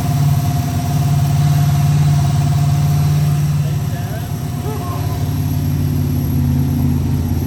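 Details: BMW E30 with an LS3 V8 swap, started at the speedshop: a deep, even V8 burble at a steady low idle with no knocks or misses; it starts and runs fine.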